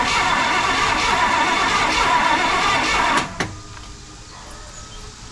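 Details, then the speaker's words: 1968 Pontiac LeMans V8, first start attempt after sitting 23 years, new HEI distributor and coil fitted, fuel primed; about three seconds of even cranking with no firing; suspected no spark. "sounds like it doesn't have any spark"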